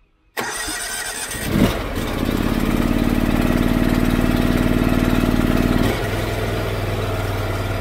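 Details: Honda IGX800 EFI engine on a pressure-washing rig, cold, load applied by cracking the ball valve: starts and holds a steady high run, then sags in pitch and loudness under load; bogging, attributed to failing ignition coils.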